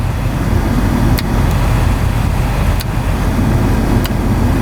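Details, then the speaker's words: 1989 Honda Accord, cold start on a cold day, fast cold idle: a smooth, steady low rumble with no knocking, ticking or hunting; the idle drops slightly with the AC on, and the sound goes down when switched to heat; healthy. "You can actually hear it idle down a little bit too, and you'll hear everything change. We'll go over to heat. You can hear the sound kind of go down."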